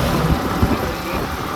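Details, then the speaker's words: Yamaha MT-15 motorcycle after service: even, steady engine roar with no knocks, rattles or squeals; the grabbing noise heard before is gone and it runs smoothly. "पहले तो पकड़ की आवाज ए रही थी गाड़ी में कोई आवाज नहीं ए रही है काफी अच्छा ग रहा है"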